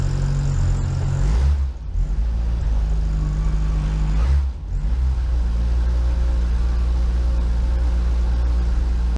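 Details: VW Rabbit Mk1 1.7L idling: steady even low idle with brief dips and blips; normal idle.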